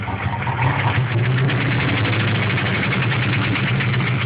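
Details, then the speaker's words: 1996 Mustang Cobra, 81,000 miles, stage 2 cams, idling: rough, uneven idle with a steady low knock under the exhaust note; began suddenly while driving at 40 with power loss, no check engine light; owner suspects rod knock, unconfirmed. "Right after I passed the cop, car started knocking, lost all power, wouldn't idle right."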